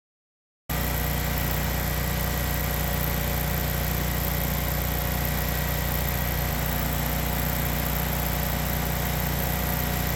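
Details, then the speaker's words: Generac whole-house generator, after a low-oil shutdown and repair, auto-starts, catching right away and settling into a steady even drone with no misses, knocks or hunting; normal running. "let's fire it up and warm up the oven turn on power to the house Auto should fire up all by itself"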